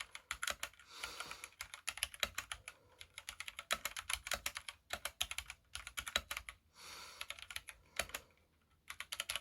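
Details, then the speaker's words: Kemove 61 Shadow mechanical keyboard, typed on at first unboxing: quick, bright key clicks with the odd heavier, looser clack from the space bar, whose stabilizers rattle and need tuning. "okay um as you hear the stabilizers on the space bar it's not that great but those can be fixed again i'm no professional there"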